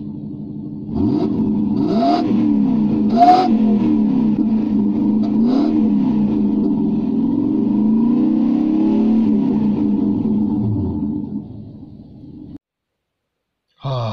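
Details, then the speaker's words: Lexus LS400 V8 running again after new spark plugs cured its no-start, with replaced auxiliary belt tensioner and idler pulley. Smooth running rising and falling with throttle blips, no misfire or knocking, belt area quiet; running cleanly. "there you go the Lexus is running again that fills me with much happiness"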